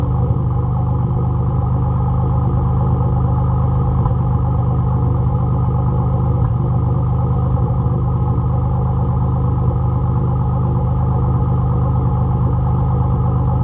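The idle is deep and uneven, with an irregular stumble about every third of a second, pointing to a misfire somewhere in the V6.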